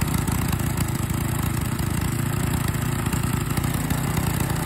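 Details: Small engine running with liquid gallium fed through the carburetor, holding a steady, even low drone with no misses, knocks or stumbles; it has survived about 10 grams of gallium so far and runs normally.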